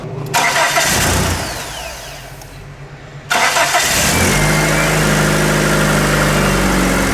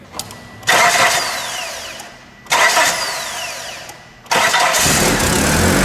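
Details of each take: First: 1996 Mitsubishi Eclipse after repairing damaged battery cables and terminals that caused a no-crank no-start: quick strong crank catches promptly and settles into a steady, even idle; starts consistently now, voltage drop about a tenth of a volt. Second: 1996 Mitsubishi Eclipse, no-start: three labored cranking bursts dragging without catching; voltage-drop test shows about 1.8–3 V lost in the battery-to-starter cable, caused by cheap battery terminals and damaged cables.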